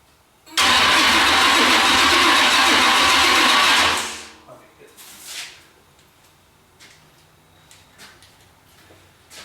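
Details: Oldsmobile Cutlass after engine swap, start attempt before exhaust is fitted: about three and a half seconds of steady starter cranking that never catches, then silence; owner checking oil pressure and fuel at the carburetor.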